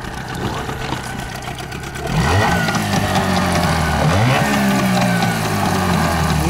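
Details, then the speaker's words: Yamaha two-stroke outboard (8 or 15 hp) on 92-octane petrol, blipped twice: a rough, rattling knock (detonation) as the throttle snaps shut. The knock is the same on 95-octane. "На сбросе газа слышна характерная детонация для двухтактного лодочного мотора."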